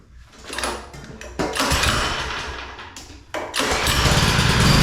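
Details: Non-running power washer engine after carburetor work, with air filter refitted: catches after a few quick pulls and settles into a steady, even putter; slight idle surge earlier now improved.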